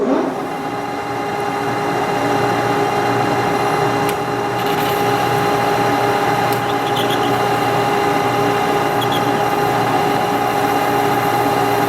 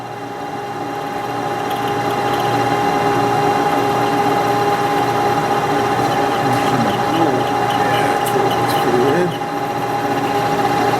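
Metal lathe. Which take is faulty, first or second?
second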